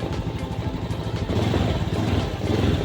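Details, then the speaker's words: 2019 Honda Beat ESP scooter, stumbling fixed after diagnosis, scanner shows no fault codes: engine revs up cleanly and evenly without stumble or hesitation; normal throttle response. "Nah, ini tesnya responsif."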